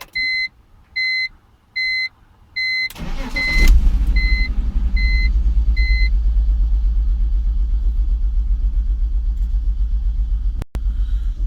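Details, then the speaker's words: 2001 BMW E46 petrol cranks and catches over dash chime, then uneven lumpy idle; rpm usually hops between 1,000 and 2,000 then stalls, worsening hissing; owner suspects vacuum leak. "Sounds horrible. I had I had some crazy hissing going on, too. I think it's a vacuum leak."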